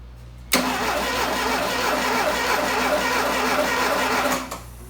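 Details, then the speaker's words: 1985 Dodge GLH-T with a rebuilt 2.2L turbo GLHS engine swap, first start attempt: the starter spins the engine at about four beats a second for four seconds but it never fires. A crank-no-start; no spark is suspected, though the coil is hooked up. "is it getting not sparkle do you have the coil hooked up yeah the coil is hooked up right it was only off 15 times it sounds like it's changing"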